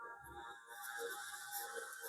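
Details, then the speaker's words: HT21 Class D amplifier playing music before repair: thin, tinny sound with clear mids and highs but almost no low end; volume and treble work but bass barely works, and the technician later blames a faulty resistor. "पर इसका base काम नहीं कर रहा है। बहुत जरा सा काम कर रहा है, कोई मतलब नहीं है जैसे।"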